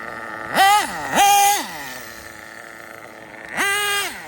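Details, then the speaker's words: RB nitro engine with sealed back plate in a drag car, tuned after running lean: idle rises then levels off, three sharp throttle blips climb cleanly to a high scream and return to steady idle without bogging; normal running, well-tuned mixture. "hear how the idle was going up a little bit now it's leveled off oh man now we got her we got her"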